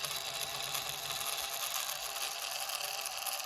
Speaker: very distorted sounds terrible